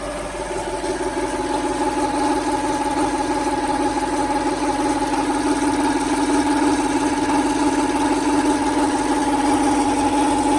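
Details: 1995 Lexus SC400 V8, long-stored, after a new OEM timing belt, water pump, pulleys, plugs, wires, cap and rotor, idles with a fast, slightly uneven ticking chatter from the top end, bank 2; cause unknown.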